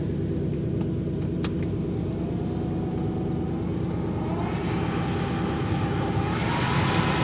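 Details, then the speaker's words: Toyota GX470 AC blower motor running after the squeaking blower was serviced with WD-40 and reassembled, microphone near the blower: steady fan rumble with a soft hum and no squeak; the fix worked. "However, as you can probably hear, or not hear rather, there is no squeaking. So that did fix the problem, thank God, because that was driving me nuts."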